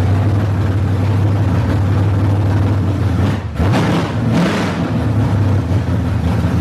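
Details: Barn-find Monte Carlo SS with a 383 V8, revived. A deep, steady rumble with a brief dip and blip of revs, then settling back to an even, healthy run.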